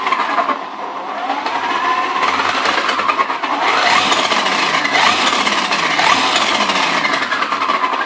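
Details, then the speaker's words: HPI Baja 5B Flux RC car rolling forward slowly: fast irregular clicking over the motor whine, rising and falling with speed, heard driving forward but not backward and louder on the street; drivetrain clicking, cause unclear. "Okay let's listen to the sound because I hear something clicking I don't think it's right"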